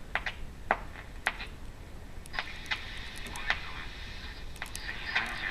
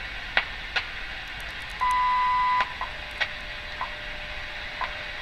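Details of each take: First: 1935 GE M-51 radio after restoration, shortwave band 5.5–16 MHz with test clip lead antenna tuning for WWV: sharp isolated clicks roughly every second over faint hiss from a nearby electric fence, not a radio fault. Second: 1935 GE M-51 radio after restoration, shortwave band with test clip lead antenna: clean steady tone with crisp once-a-second ticks over light hiss, WWV time station received well; set working normally.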